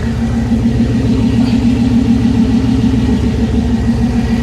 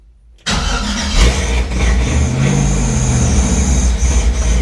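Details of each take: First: LS-swapped Chevy C10 on ACES Jackpot 2 fuel injection, first start, warming up, new exhaust, deep even V8 rumble with no misses, knocks or ticks; oil leak found elsewhere; normal running. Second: Chevrolet C10 with LS swap on ACES Jackpot 2 fuel injection, first start: loud, steady, lumpy V8 idle with a heavy low rumble. It is smoking and running very rich; the owner wonders about excessive fuel pressure and says it sounds like a vacuum leak.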